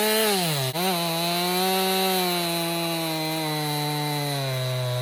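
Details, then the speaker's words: 2018 Stihl MS261 M-Tronic chainsaw used in construction, complaint hard starting and bogging when hot, with swapped bar and chain: strong steady high engine note holding firm as the chain bites, dipping briefly then pulling back; cuts cleanly without bogging, problem not yet replicated. "So, I'm going to shut it off. I'm going to let it sit. I didn't have any problems with it."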